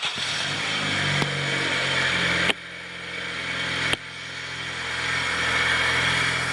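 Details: 2008 Honda Civic 1.8 with a replacement engine, previously crank-no-start (started only with scan tool connected), after fixing the main engine ground G101: cranks briefly, catches cleanly, settles into a steady even idle; starting normally.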